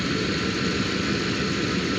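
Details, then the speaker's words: Jeep Grand Cherokee ZJ at idle during an AC recharge: constant compressor hum, clutch engaged once refrigerant was added to the low system; compressor running normally. "as you see here this is the air compressor AC compressor and this is the clutch you hear it it's like and this inside here will move"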